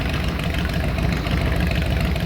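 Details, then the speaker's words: 2000 Harley-Davidson Road King that would not start, now running after battery diagnosis (crank sensor also suspected): deep, loping V-twin idle, steady and unbroken with no knocks or misfires; running properly. "I know y'all hear it in the background running right now but she is AOK and I ain't got to take to the shot"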